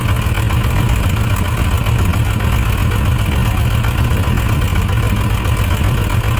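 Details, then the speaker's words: Suzuki RF900 multi-cylinder motorcycle at idle during carburetor adjustment: low, lumpy idle with uneven beat and dropped pulses; one cylinder, found not heating up, isn't firing properly, suspected running too rich. "let me let's take a look at it again that cylinder is s not firing well so we're going to check this back long let's see what's going on"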